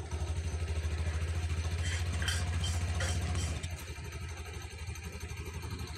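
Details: 2021 Honda Beat scooter with a rough CVT noise, after fitting non-original replacement parts and closing the CVT cover: low, even idle that settles quieter with no grinding or rattle; transmission sounds smooth.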